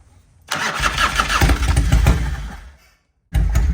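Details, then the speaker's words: 1993 Harley-Davidson FXR-S with S&S 82ci V-twin, under 30 miles since restoration, cold start on choke with a little throttle: two uneven chugging crank bursts of about two seconds each that never catch; hard cold starting. "oh you got [Applause] it definitely cold blooded don't touch the pipe it's going to be hot"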